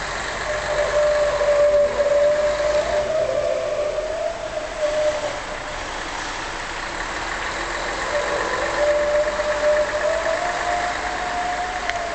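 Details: Strange noises from a bus: steady mid-pitched whine over the running engine that drifts down, fades, then climbs back with speed.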